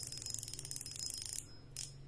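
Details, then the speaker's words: Okuma ITX 1000 reel with a homemade drag clicker spring fitted for louder sound, line pulled: quick, sharp, even ticks, about eighteen a second, then stopping; louder than before, drag clicker working normally. "sekarang kita coba dengar suara klikernya nanti dibandingkan juga dengan yang sebelumnya seperti ini dia ya kedengarannya memang sudah lebih kencang suaranya nih lumayan kan"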